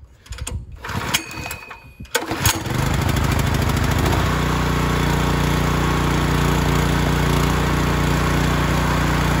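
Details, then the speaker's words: Ryobi 3100 PSI, 2.5 GPM pressure washer with a 212 cc idle-down engine, no pump fitted, throttle set manually; catches after a few pulls and settles into a steady, even drone with no hunting or surging; normal running. "perfect so I ended wrong sounds pretty good now I gotta decide what pump I'm gonna put on it"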